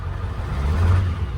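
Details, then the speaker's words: Ford 7.3 Powerstroke diesel, 197k miles, single-shot injectors, rough idle with miss when revved slightly, seat shaking; cylinder 3 contribution fault, fuel pressure good, white smoke noticed while driving; uneven lumpy pulse suggesting weak injector. "And these are single shots, so it does idle a little bit rougher, more like an OBS, but you can feel it in the wheel. It's got a miss when you give it a little bit of beans."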